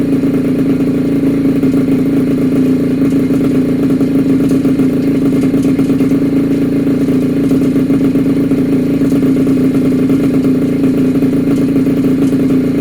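Small two-stroke buzzes at a steady, high, even speed the whole time, with no misses, knocks or rattles.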